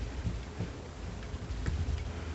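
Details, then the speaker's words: Newly set-up 1 hp mini lathe whose headstock was adjusted so tight it barely turned. Dull, irregular low thumps as the spindle turns come from the headstock; the owner suspects the bearings, which should be tapered rollers, and plans to lubricate them and adjust the end play. "but I don't know if you can hear it but it's clunking in there"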